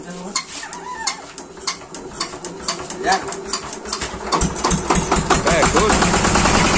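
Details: Yanmar TR190R diesel welder/generator, hard to start from air in fuel: scattered clicks and knocks, then the single-cylinder diesel catches and settles into a steady, rough idle after bleeding the fuel system and injector.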